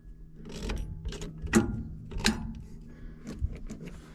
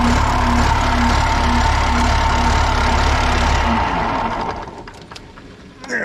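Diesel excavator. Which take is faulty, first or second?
first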